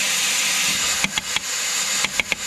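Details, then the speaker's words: Massey Ferguson 175 MultiPower 6-speed transmission, air pressure applied to the valve, input rotated in high range: steady air hiss with dull clunks as the wet clutch pack locks; considered normal clutch pack engagement. "i'm going to rotate the input and you can hear the clunking noise high range here"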